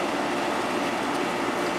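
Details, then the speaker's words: 1972 GE Slumberline 6,000 BTU window air conditioner, compressor running and cooling at about 6 amps. A steady buzzy hum with a mid-pitched cabinet rattle; the compressor itself is quiet, and its vibration carries through the frame. "the compressor itself is very quiet it's just the vibration that's being transferred through the frame that you can [Music] hear"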